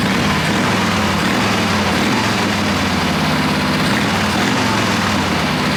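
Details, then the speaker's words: Wheel Horse mud mower with a newly fitted Kohler Magnum 18 hp opposed twin, still needing some tuning: steady, even twin-cylinder putter at idle with no misses, knocks or hunting; running smoothly. "Stefan has some more tuning to do with it but he's already gone out and driven it around some and it idles up and down and the throttle works pretty good"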